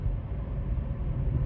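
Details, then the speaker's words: 2004 Honda Civic on a test drive at the same speed as before, after replacing the pressed-in front wheel bearing that had caused a hum and groan; steady low road rumble with no speed-related hum or growl. Now quiet, so the bearing noise is fixed. "Nice and quiet compared to, I'm gonna call that fixed."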